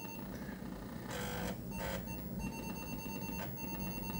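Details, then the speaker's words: Atari 1050 floppy drive on an 800XL, final test loading Necromancer: quiet whirring with short scratchy bursts as the head steps between tracks, no harsh grinding or struggling; reading nicely, unlike other 1050s that sound horrible. Normal. "Sounds like it's reading nice too, by the way. I've heard other 1050s that sound horrible as it tries to slide through the tracks. This sounds really good."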